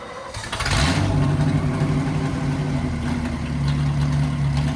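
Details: 1963 Chevy C10 small-block V8 under restoration, running with no mufflers fitted before the new mufflers were installed. It catches and settles into a deep, loud, booming rumble. Unmuffled exhaust, expected to be much quieter once the mufflers are on.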